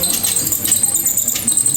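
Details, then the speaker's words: Luxor sewing machine running when the pedal is pressed: fast high-pitched cricket-like chirping at machine speed from the dry mechanism under the cover; fixed by removing the cover and oiling. "It sounds like a cricket."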